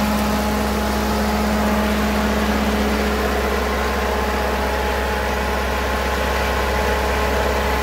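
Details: Ferguson TO20 tractor after gas tank and left front wheel bearing repair, started after checking fuel bowl and spark: steady even low drone at fixed throttle, no knocks or misses; running smoothly.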